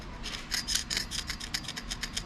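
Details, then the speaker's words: Crankshaft main journal, from an engine run about five minutes without oil pressure at up to 4,000 RPM; a screwdriver dragged across it gives rapid, rough, catching raspy scrapes, unlike clean journals where fine visual lines only click: scored crankshaft journal. "That one's rough. So hear that noise versus you can kind of hear one of those little lines clicking, but there's no noise."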